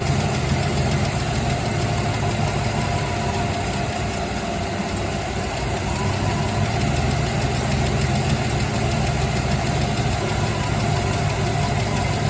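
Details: Holden Torana LC after refitting the machine-shop manifold and adjusting timing by ear, heard from behind at the low exhaust: deep, full idle with a steady, even rhythm. The flat spot is gone, though it still seems to need bigger jets. Normal idle.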